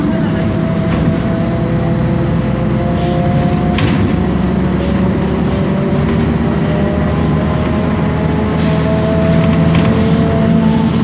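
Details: 2012 BMC Belde 285CB bus, Cummins ISBe 6.7 Euro 5 turbo diesel, 250 hp, ZF Ecomat 6HP504C 6-speed automatic, recorded riding inside: steady whine rising and falling with road speed from a noisy rear differential.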